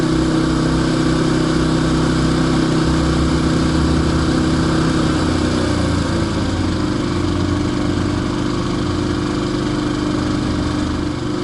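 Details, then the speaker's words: Larger comparison generator, rated 1,000 to 1,500 watts above the other one, easing from full throttle (68–69 dB) into economy mode, about 64 dB measured 4 feet away on a rough meter. The pitch drops to a steady low idle with no misses or knocks. Normal idle. "So we're about 64 decibel there. And again, we're 4 foot away."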